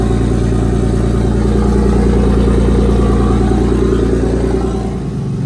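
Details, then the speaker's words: 1995 Toyota Supra IndyCar pace car (one of 5), driving after a new fuel cell bladder, clean fuel and restored fuel pressure: strong, smooth engine note with an even pulse and no hesitation or misfire. Runs well; the bad fuel and low pressure are gone. "It's running so good. and like it's even more quiet under here now than before. I guess it's happier with clean fuel and full fuel pressure."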